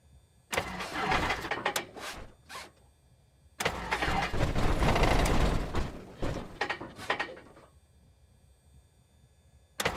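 Long uneven bursts of cranking with sharp pops and gaps between tries; the engine is reluctant to catch and backfires.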